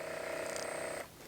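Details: Newly installed solar bore pump on an off-grid homestead, wired to solar panels at about 34 V for a first test before lowering into the bore: steady high electric hum with clear whine, then cuts off; pump runs normally.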